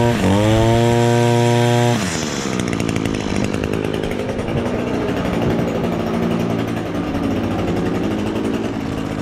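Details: Echo SRM-225 two-stroke string trimmer, previously bogging down from a clogged exhaust screen, now revs cleanly at high speed and drops back to a steady idle after the screen was removed.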